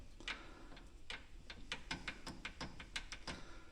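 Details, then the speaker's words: 2023 Polaris Ranger 570 SP Premium, 700 miles, before brake mod: irregular sharp metallic clicks about three a second from loose brake pads rattling in the caliper, often mistaken for bad axles. "That's what people think, they got bad axles and everything else on these, and you can hear them rattle."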